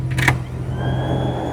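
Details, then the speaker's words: 1988 Ford F350 with 460 big block after upgrading to a Powermaster 200 amp one-wire alternator, voltage 14.5–14.6: blower fan gives a brief click, then a smooth steady hum with faint even whine, no rattle; best it has sounded. "That's the best it's ever sounded."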